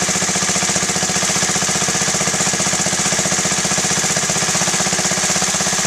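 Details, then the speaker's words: Honda Z50A Mini Trail 50 single, freshly rebuilt carb: fast idle of about four beats a second that wavers unevenly and stumbles, because the pilot air screw is turned past its best point. "Okay, so see that? It's stumbling again, so I want to go back out."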